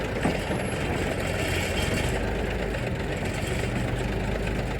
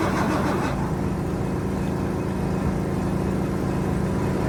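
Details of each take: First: 1973 Mack FR711 truck with 250C diesel and quad box, after bleeding air from fuel system: steady even diesel clatter at idle, no misses or knocks; normal diesel idle. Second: 1973 Mack FR711 truck with 250C diesel, injector lines loose for bleeding: steady even cranking about one and a half beats a second, never catching; no start, injection pump not building pressure from air in fuel system, no fuel from cylinders three to five.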